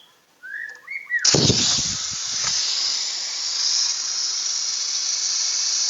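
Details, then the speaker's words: Sharp refrigerator not cooling, compressor drawing 0.5 A with no flow sound; refrigerant line cut near warm condenser: loud steady high hiss bursts out and holds; blocked filter drier. "Ini saya pastikan bahwa ini adalah mampet ini. Anda dengerin, lihat seperti apa ini adalah mampet. Karena di dalam ini tidak bunyi."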